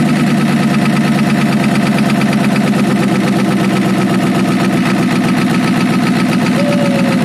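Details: Ford F350 6.9L IDI diesel after injection pump replacement and bleeding: loud idle with a lumpy, uneven beat instead of a smooth clatter; rough idle, owner suspects a dead cylinder, unconfirmed.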